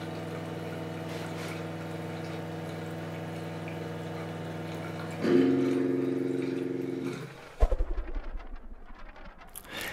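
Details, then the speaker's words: Osminion Slim Mix reverse-osmosis filter, about 4 bar line pressure, rinse cycle, Rinse symbol lit: steady low pump hum shifting as rinse flow starts, then stopping with clicks; normal. "Dans les deux cas, l'appareil m'indique, le nettoyage par l'allumage du symbole "Rinse" sur le panneau avant. En appuyant une nouvelle fois sur la touche "Select", je peux terminer le nettoyage."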